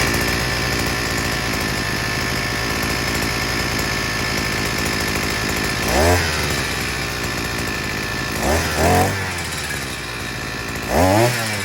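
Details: Sican 3.6 HP 52cc two-stroke outboard after maintenance (new clutch, NGK spark plug, gear oil, air filter check): even idle with three quick clean throttle blips; runs healthy, propeller still at idle and clutch grabs on throttle.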